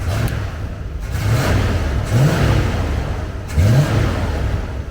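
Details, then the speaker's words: Carbureted Bronco after a 400-yard first drive, timing at 8° BTDC with vacuum advance on the timed port, carburetor tuned: three quick, clean throttle blips rise and fall crisply with no stumble or bog. "we just drove about 400 yards and it went perfect so that's pretty good the auto response is good listen to this"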